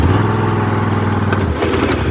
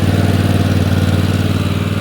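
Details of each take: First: Old Husqvarna riding mower, 926 hours, after engine swap, deck engaged: engine runs steady with a loose, uneven rattle from the deck; one or more of the three blades loose on their mounts, need tightening. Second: Replacement engine just swapped into old worn Husqvarna riding mower, first run, spitting and burning off oil, not yet warmed up: smooth regular beat at steady fast idle, no knocks, misfires or rattles; sounds healthy.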